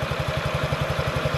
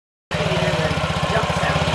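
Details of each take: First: Honda Ruckus NPS50 2017 50cc four-stroke scooter after idle screw adjustment, raised slightly to avoid stalling: even putt-putt, tachometer reads about 1380–1420 RPM, steady with no stumbling; healthy normal idle. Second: 2017 Honda Ruckus NPS50 50cc four-stroke scooter idling at almost 3,000 rpm, read on an inductive spark-plug-wire tachometer: quick, even single-cylinder patter well above a normal tickover; idle speed set far too high, before adjustment.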